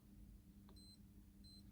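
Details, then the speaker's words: Yamaha FC5 keyboard sustain pedal cable checked: faint hum with a high beep cutting in and out twice as the cable is touched, showing a broken conductor in the pedal cable. "but the problem is here and if I get me to touch this now it's not working it's breaking as you can hear"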